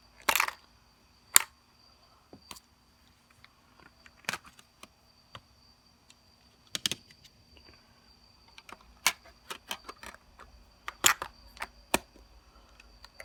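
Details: Newly received Sony D-90 Discman while running: sharp, irregular clicks every second or two over near silence, cause not evident.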